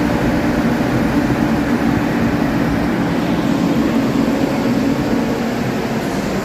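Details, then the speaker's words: Nissan after fan clutch and belt replacement, fan previously ran all the time like a tank: steady engine hum with no roaring fan rush, fan now stops as it should; normal running. "See? That's how it should be. Now it stopped. Before it would run all the time."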